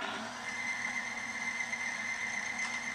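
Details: Timken bearing friction test rig run with a power steering fluid from a bare, dry start. A steady high screech with a rough metallic edge over a constant drone, and the rig starts smoking: the bearing is scuffing under heavy load.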